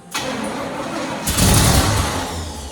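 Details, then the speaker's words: 1968 Firebird, sitting about 42 years, first start attempts with fuel poured into the carb bowl: cranking, then a surge as it catches and flares, fading out instead of idling; owner suspects ignition, cause unconfirmed. "Took the carb off my car, stuck on it. It would just start, shut off immediately."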